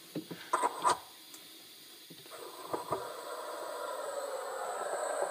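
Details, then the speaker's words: Leak in the non-metallic PEX cold water supply to the kitchen faucet, heard with leak-detection listening gear near the manabloc: steady loud rushing hiss of escaping water. "that's the zomie your leak running through them Foams now we cannot trace this line out because it's non-metallic as I'd mentioned but you can clearly hear this leak right here"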